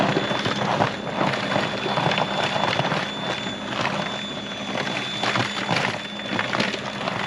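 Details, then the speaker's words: Greenworks 80V 20" brushless cordless snow blower, new, clearing 1–2 inches of light snow on a path down to grass; steady high constant-pitch motor whine with gusty bursts of thrown snow: normal running. "So, not too shabby. It actually worked pretty well. The um little pathway that we have here to the the gym shed is completely clear and you can see grass and it actually did a pretty good job."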